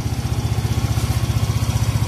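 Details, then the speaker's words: Yamaha Mio i125 scooter after fitting sponge and hose to stop front-end rattle and vibration: steady single-cylinder idle, even thumping, no front rattle or buzz; normal idle. "Ayan guys, walang kalampag, walang vibration. Ayan, hindi ka na maiinis sa ingay sa harap, yung kalampag."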